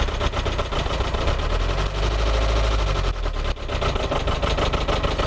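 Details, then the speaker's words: Iveco 35-8 diesel van that suddenly banged and began clattering with reduced power while driven cold: loud, rapid metallic clatter over a rough idle. The owner thinks it spun a connecting rod, unconfirmed. "Puis d'un coup, blam, un putain de bruit, clac, clac, clac, clac, clac. Puissance réduite, déjà qui n'est pas très puissant."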